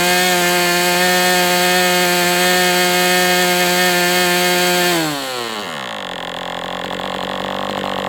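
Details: MDS 68 FS Pro model engine on a break-in run, heavy exhaust smoke: steady high buzz at full speed, then drops away as fuel runs out. Running cleanly, better than with the idle bar plug, after carb tuning.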